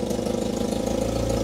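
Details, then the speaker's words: UAZ 452 Bukhanka engine at idle after oil change and compression test (compression somewhat low), oil pressure same as before, about two to three bar cold idle earlier; steady, even, smooth low rumble with no knocks or misses; normal idle. "there we go that's the same oil pressure as before that's nice"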